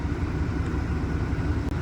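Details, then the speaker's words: Chevy 454 big block in an OBS truck after new Bosch injectors and a JB Weld-repaired lower intake, running. Deep, uneven, lumpy V8 idle; not happy but much better than before, with ignition timing off. "so it's 10 p.m. and I guess like seven times a charm it's not real happy but it does sound a whole lot better than it did"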